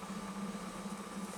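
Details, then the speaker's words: 1985 Pontiac Fiero idling in neutral with check engine light on, tach reading about 1400 rpm which owner doubts: steady hum with faint uneven wobble; rough idle, smells rich, cause unknown. "once the check engine light comes on it starts to run better but you see the attack is way wrong there's no way this is rotting at like 1400 rpms"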